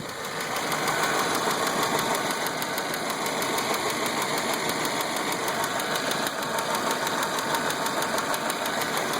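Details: Petrol engine idling with a quick, steady tapping that gets louder when hot, recorded close to the engine; owner suspects a lifter, cause unknown.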